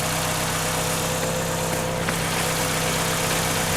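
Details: 1996 Chevrolet Cavalier 2.2 four-cylinder, just after water pump replacement, first start before warm-up: steady, even idle hum with constant low drone, no knocks, ticks or surging; idling cleanly.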